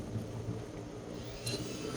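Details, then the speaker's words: Evaporative air cooler fan after repairing and fitting the control board: steady low hum with smooth airy rush, no knocks or scraping; it runs normally on speeds 1 and 2. "Này các bạn thấy nghe tiếng này. Motor nó quay nha."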